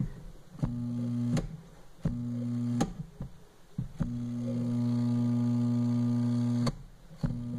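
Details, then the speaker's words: Twin-tub (tanquinho) washing machine that stopped washing and leaks water, switched on and off with the timer: each time, a low, steady electrical hum holds for seconds with nothing spinning, because the locked agitator is stalling the motor. "mas eu vou mostrar pra vocês que esse jogo do motor não se faz a ninguém porque ele não estava tendo muita girando ele só faz o vôo olha aí"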